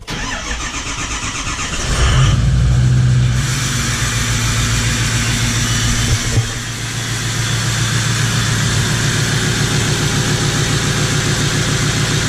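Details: 1977 Ford F250 crew cab with swapped 6.0L Powerstroke diesel: brief crank, catches with loud flare, settles to steady even idle; healthy start, smokes a little.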